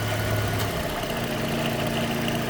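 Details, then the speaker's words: Toyota FJ Cruiser with the A/C light flashing and no cold air: with the relay load terminals bridged, the idle note shifts and a faint constant hum settles in. The compressor engages and cools, so compressor and ground are good. "as you can see here you can hear it the compressor's on now we're cold"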